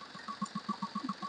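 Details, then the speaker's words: Chevrolet Beat diesel, after fixing a start-up noise from a water pump pulley that had turned jerkily: light, even ticking over a quiet idle, no wobble, grinding or earlier noise; engine idles normally. "Okay അപ്പോ നമ്മളിപ്പോ വണ്ടി start ചെയ്തു കഴിഞ്ഞപ്പോൾ വേറെ സൗണ്ടോ കാര്യങ്ങളോ ഒന്നുമില്ല"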